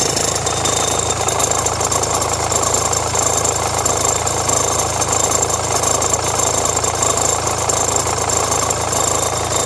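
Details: Renault Megane 1.5 dCi diesel idling with radio, rear window heater and blower on: steady clatter with a loose, uneven rattle from the belt end. Belt and tensioner already replaced; noise stops with A/C on, so the owner suspects the alternator or A/C compressor.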